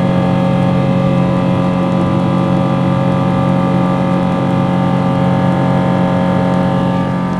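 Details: Boeing 777 engines heard from the cabin shortly after takeoff during climb: loud jet roar with a strong low drone and a hard, rumbling, grinding edge, louder than usual. Unusual strained noise, cause unidentified.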